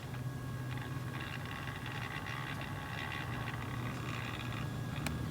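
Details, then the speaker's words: Fluke 199C ScopeMeter powered on, small internal cooling fan makes a humming, faint whine with uneven rubbing, bumping, ticking chatter from a dry bearing; noise louder with meter lying flat, nearly gone on its side. "up the meter and you can hear the sound that it's making so the screen is turned on but there's some glare so I don't think you can see it on the camera right now but you can probably hear that sound that it's already making"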